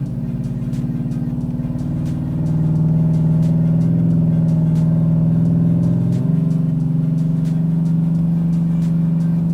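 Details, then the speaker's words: Cammed LS3 Chevy Trailblazer SS, 2WD, on dyno in second gear with heavier wheels and tires, new torque converter of unknown brand, converter PWM turned all the way up: deep steady V8 drone that dips slightly as lockup engages softly; converter clutch doesn't hit aggressively. "Trying to listen for the converter. It just doesn't hit very aggressive."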